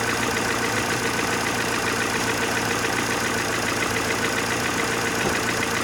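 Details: Mercedes Vaneo or A-Class 1.6 petrol, after engine flush and oil change; steady idle with fast light ticking over the top end throughout, hydraulic lifters still ticking.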